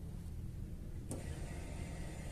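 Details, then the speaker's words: Chevrolet Aveo 1.6 E-TEC II fuel pump activated with a scan tool, key on, before starting; quiet, then a click and a faint steady high whine as the pump primes; normal fuel pump operation. "se dan cuenta ya se oye la bomba ya la desactivamos"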